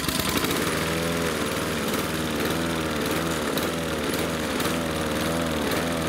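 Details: Husqvarna R 53SV self-propelled lawn mower before Sea Foam treatment: speed swells and sags about twice a second in a steady hunting rhythm; surging, owner suspects blocked carburettor jets.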